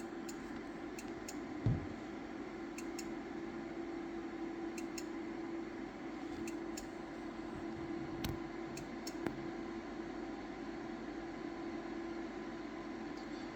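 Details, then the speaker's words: Intermittent ticking from a Powerwall-type home battery at 54 V, 7 A and about 100% charge on a 200 Ah pack, the first time it has been fully charged. Sharp, irregular ticks about once a second over a low hum; the owner suspects a relay. "so I don't know what that is does anybody have any of these power wall type batteries um it's the first time I've heard it"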